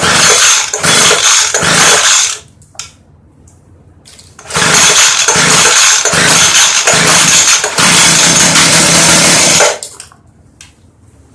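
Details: Craftsman Bushwacker 358.795792 25cc hedge trimmer, early 2000s, with a broken fuel pickup line and a crumbling foam air filter: two short bursts of high buzzing that each die abruptly, running only on primed carb cleaner and fuel, then starving.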